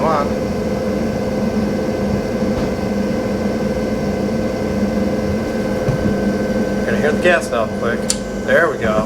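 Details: Laundromat gas furnace after its inducer motor was fixed: the inducer vents air, the igniter lights, the gas valve clicks and the burner fires; steady, even hum with a clean tone and no rattles or squeals, the furnace running normally.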